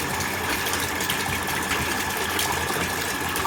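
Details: Orient self-priming water pump with aluminium winding and frame, full-load test recirculating water, about 6 ft suction and 20 ft delivery; steady even motor hum under heavy water rush and gushing, no knocks or grinding; running smoothly.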